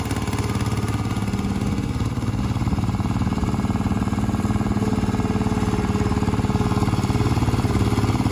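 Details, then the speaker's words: 1968 Bolens Husky 775 Husky Pup lawn tractor, restored and swapped to a Hatz 1B30 V single-cylinder diesel, mowing with the deck: steady, even thump holding speed under load, normal healthy running. "a functioning mower tractor it is well that was the restoration of a bolan's Husky"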